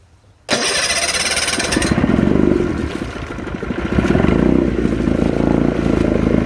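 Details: 1972 Sea King (Chrysler) 35 HP outboard, first start in nearly 20 years after flywheel key and water pump replacement, in neutral: catches after cranking into an uneven, popping two-stroke run; needs tweaks and a fuel pump rebuild.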